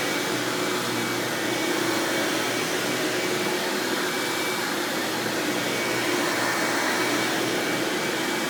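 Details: 1997 Hoover Dirt Finder Power Drive U6331-930 self-propelled upright vacuum running in floor mode: steady, even whoosh with high motor hum, no rattles, pulsing or belt slap; exceptionally smooth and surprisingly quiet for an Elite, normal running.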